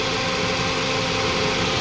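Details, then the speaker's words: Toyota Vios 2NZ idling with brittle, leaking PCV valve hose at the intake manifold refitted during testing: uneven, lumpy idle with hissing air noise over it; vacuum leak that worsens idle, smoother when hose removed. "singaw yun nadiskubre natin mga boss na singaw lang pala yung hose ng kanyang parch valve doon sa puno ng intake manifold kasi sobrang lutong na po ng kanyang hose"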